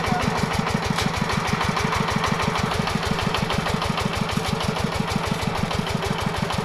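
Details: Yanmar 105 walk-behind tractor diesel pumping water to irrigate sugarcane: steady quick beat under pump load with a hard metallic knock on every firing stroke, the engine knocking under load.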